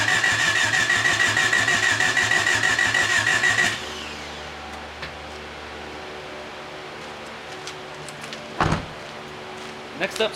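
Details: 1989 Honda Accord LXi coupe after head gasket and timing belt replacement, distributor corrected from 180° off, injectors leaking down fuel pressure; starter cranks steadily three beats a second nearly four seconds then stops without catching: cranks but does not start.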